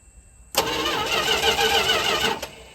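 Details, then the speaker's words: Dodge D150 truck, after reassembly: engine catches straight away and runs evenly for a couple of seconds with no miss or knock while checking for leaks; normal healthy start and idle. "All right, got everything hooked back up. Davey's going to fire it up now. Make sure we don't got any leaks or anything."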